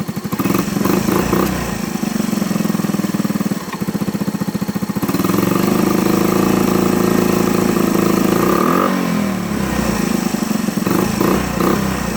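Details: Honda ATC 110 idling after the carburetor float and jet were fixed for fuel overflow, now with no leaks. Small single idles with a loose, uneven beat and occasional stumbles, a slight misfire the owner attributes to timing (unconfirmed).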